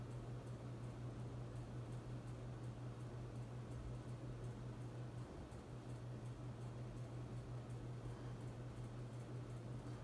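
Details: Hunter Infiniti 52-inch bright brass ceiling fan on high speed in a living room: steady low electrical hum at one fixed pitch beneath soft air rush, constant throughout; the fan motor hums, cause suspected, not confirmed.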